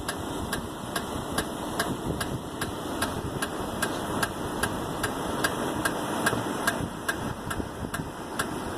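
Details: 1999 Toyota Avalon, rear driver's side wheel after mounting two new rear tires: sharp, even ticking, about two to three per second, over a quiet idle; suspected brake noise, cause unclear.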